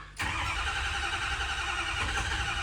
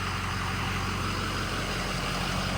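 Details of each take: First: Ford 6.0 Powerstroke F350 diesel at home after tow, ICP bled of air, ICP reading 1500 while cranking, fuel present: steady starter cranking that never catches; injectors not firing, traced to faulty FICM connector; crank no-start. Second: Ford 6.0 Powerstroke diesel, 4200 engine hours, EGR removed, 4in exhaust, apparently stock tuning, warm after a few miles: steady, even idle with deep low rumble, no knocks, misses or surging; runs smooth and clean, normal idle.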